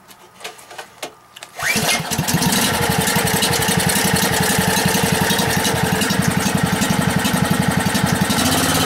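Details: Gasoline generator converted to natural gas via a quarter-inch hose, started with the choke fully closed and gas opened slightly. A few pulls, then it catches and settles into a steady single-cylinder chug of about four beats a second; clean start and idle.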